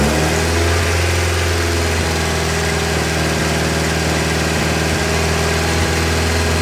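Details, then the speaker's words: 1959 Alfa Romeo Giulietta Sprint, parked for a few years: loud, lumpy idle that wanders, dips and cuts out, getting worse, partly on choke; owner suspects a dirty carburettor idle circuit from sitting. "We probably have a dirty idle circuit."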